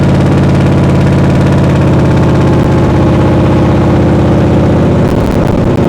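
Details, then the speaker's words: 800hp V8 in a 1931 Ford Model A, idling in the shop after ignition on and fuel pumps one and two: strong, lumpy idle with an even beat of about four pulses a second and no knocks or rattles; normal idle. "yeah that's still sick sounds sick Fu all right now it definitely runs"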